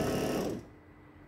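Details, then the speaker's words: Tesco BM1333 bread maker after replacing the melted motor belt: light whirring mechanical drive that briefly drops away and returns; the kneading motor and belt turn normally. "i'll just let it run for a little while okay everything seems to be working"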